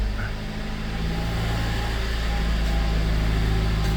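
Steady, even low idle hum with no knocks, misses or hunting; the engine settles straight in and runs smoothly.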